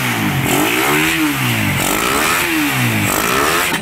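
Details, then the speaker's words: Raider 150 motorcycle, engine very cold, after repair: single revs up and down smoothly, pitch rising and falling cleanly with no rattle or knock; the cold-engine clatter is gone, normal cold idle and rev. "mga boss, malamig na malamig ang makina. Wala na yung kalampag, yung kalansing."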